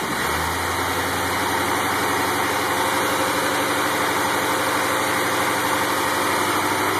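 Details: 1984 Corvette C4 350 V8, original 58k-mile engine freshly rebuilt and honed after a head gasket leak rusted the cylinder walls: even idle with a steady low beat under heavy hiss, no tapping or stumbling; normal idle.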